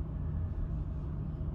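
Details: Chevy Equinox with engine and traction control lights, shaking but not stalling: low uneven idle rumble with irregular stumble; suspected misfire traced to a faulty spark plug.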